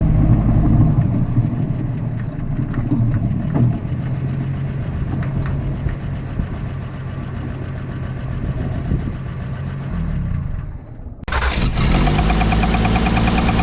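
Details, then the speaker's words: 1968 Toyota FJ40, apparently original F engine, running: deep fairly regular knock about three per second over rough idle; suspected rod knock, mismatched bearings found, number two possibly the knocking one. "old bearings look amazing compared to the number two the number two might have been the one that was knocking"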